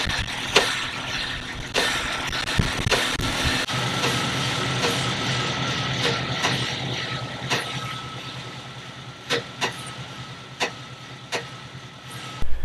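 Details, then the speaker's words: Jeep Cherokee XJ idling: irregular sharp clunks, one or two a second, from the lower track bar end where the bolt was not tight enough and the bushing slid around; loose track bar bushing clunk. "The lower end of the track bar, the bolt was a little bit loose, or it wasn't tight enough, and the bushing was sliding around in there."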